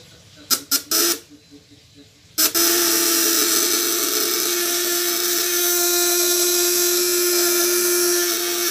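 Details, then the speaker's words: 12 V contact-breaker (platina) shocker, 1.5 kg type, on a 200–1000 W load test with breaker tension set too loose: a few clicks, then a steady, soft, mid-pitched buzz that is not very shrill; tightening by turning right makes it smoother and shriller. "Ini masih Los ya Los nah ini udah ada ada tekanan cuman dikit nih kita lihat ya suaranya solusi Los suaranya lulus banget kita naikin tegang yang caranya putar kanan"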